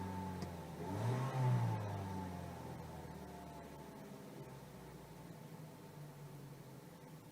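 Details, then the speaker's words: Mazda 6 2.0 petrol with rough running and stalling, just after cleaning the MAF sensor: fires and revs high, then the idle drifts down slowly without settling quickly; it otherwise runs okay, just a slow-settling idle. "Seems to be taking a long while to settle back down, but she's running okay."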